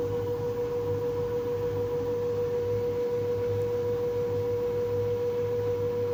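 A steady, pure high squeal holds at one pitch throughout over a low drum hum; persistent squeak during the drum clean cycle.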